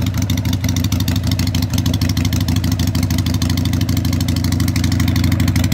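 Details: Harley Sportster 883 street tracker build, start-up after fitting loud exhaust pipes for early Sportsters on a modified crossover bracket with custom mounts; the builder may need to rejet the carburetor. A deep, loping V-twin idle with an even beat and no knocks. Normal idle.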